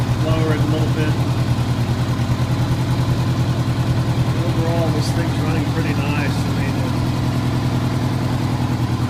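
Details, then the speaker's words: 1985 Honda Gold Wing GL1200 Aspencade, freshly rebuilt carbs, cleaned tank, idle adjusted, started after sitting seven years: smooth, even low burble with steady firing, no misses, knocks or rattles; runs cleanly. "but a little bit of adjustment on the idle and the bike is running pretty well so I'm gonna fire it up and that way you can get to listen to it a little bit"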